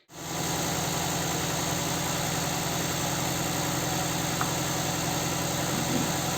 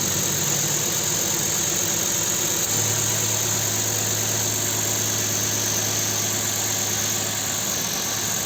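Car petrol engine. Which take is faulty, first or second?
first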